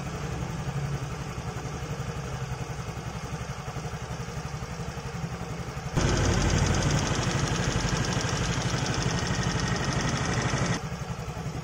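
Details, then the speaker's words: Fairly new Yamaha motorcycle that was ticking loudly at idle, after valve clearance adjustment with a 0.10 feeler gauge set slightly loose (spec 0.10–0.12): steady, even putter at idle with no top-end tapping, so the valve tick is fixed. "Nah suaranya langsung beda ya langsung sedikit adem kan tadi ngelitik banget saat langsam seperti ini ya"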